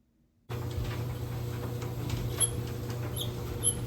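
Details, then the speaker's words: GE electric dryer running with a steady hum while short, high chirping squeaks repeat as the drum turns; horrible squeak traced to worn plastic drum glides, to be replaced. "Today we are back with my GE electric dryer, and we're going to change the drum glides in it because this thing makes a horrible squeaking sound."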